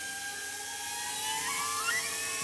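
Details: DeLorean fuel system rebuild after cleaning 30-year-old gas, injectors spraying into test bottles: pump runs with a steady high electric whine that climbs slightly as flow opens; delivering fuel properly, good spray pattern.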